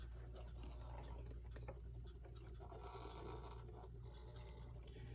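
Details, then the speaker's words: United Metal Goods (Brooklyn) model 59 electric pendulum wall clock running plugged in. A low motor hum sits under a constant loud, scratchy, grinding rasp; dirt is packed in the gear train. "this one runs but it's very noisy and I'll plug it in and try to show you just how loud it is hopefully you can hear it"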